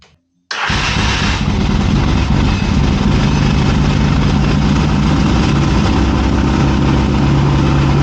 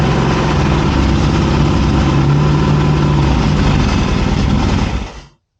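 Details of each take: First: 1981 Yamaha XS650 Special twin, first startup after carb rebuild, on bottle-fed fuel with a weak battery on charger: fires instantly and settles into a steady, even idle with no misses. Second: 1981 Yamaha XS650 Special on first startup after a carburetor rebuild, with the choke pulled, catches and runs roughly for about five seconds and then dies abruptly; the old battery is weak.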